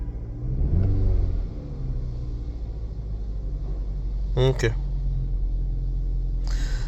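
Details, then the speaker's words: 2013 Chevy Malibu 2.0L turbo shaking, with a flashing check engine light; cylinder 3 misfire count keeps climbing on the scan tool before the coils and plug are inspected. Uneven, lumpy, stumbling idle rumble; misfire from a faulty ignition coil. "I'm going to go look for c number three got even more misfires so let's shut off the engine we're going to inspect c number three look at our ignition coils our Spar plug"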